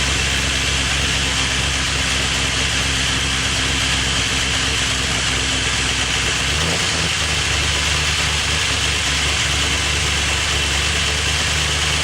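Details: First startup of a freshly rebuilt engine with Crow Cams lifters and CNC-ported heads: fast, busy top-end ticking over the idle as the lifters fail to pump up. Owner suspects lifters weren't soaked enough; cam lobes later found dry.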